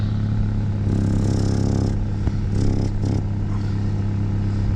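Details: Petrol car idling in neutral with the exhaust outlet blocked to locate a leak: steady idle broken by a rapid puffing chuff from the exhaust leak, later fixed and straight-piped.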